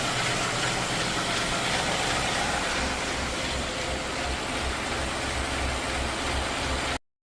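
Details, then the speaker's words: 2016 Ford F-150 5.0 V8 at idle: very loud, rapid, diesel-like tapping audible across a parking lot, not the normal typewriter noise, caused by a loose timing chain. "this 2016 f155 leader had a very loud tapping type noise at some may mistake for the typewriter noise that Ford claims is normal this noise you're hearing in the first part of this video is not the typewriter noise this sounds almost like a diesel and it is very loud"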